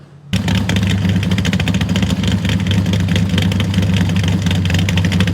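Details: 1974 Plymouth Scamp with a 400 cid big-block Chrysler and TorqueFlite A727, after new exhaust and carb tuning, with help from a pet-store air valve: a deep, even V8 burble that idles on its own without stumbling and runs right.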